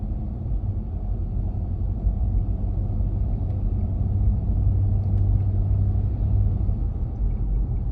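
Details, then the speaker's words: Toyota Land Cruiser pulling away at 20–40 km/h on throttle: deep puffing rumble like an exhaust leak between engine and gearbox, fading off throttle; flywheel cracked at three of six mounting bolts, to be replaced. "那这个裂开之后呢当大动力往外输出时呢就会出现这个异响"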